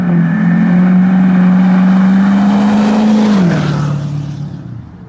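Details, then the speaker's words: 2011 Ford F350 6.7 Powerstroke diesel with replacement engine, first drive, exhaust under light-throttle acceleration pulling away: deep even drone dropping in pitch as throttle eases, then fading; healthy diesel pulling off smoothly. "so I'm gonna do some little exhaust Clips just kind of some light throttle like acceleration pulling away from you guys"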